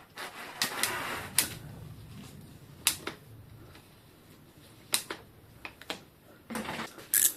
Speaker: Clics et craquements dans un jeu de direction de vélo.